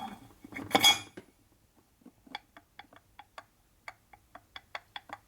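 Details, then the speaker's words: 1973 Harley shovelhead 93ci stroker case being rebuilt: sharp light metallic clicks, about three a second, as the shaft is pushed side to side; worn, oversize case bushing, clearance estimated around two. "sounds loose sounds like it's too big yeah probably out around two"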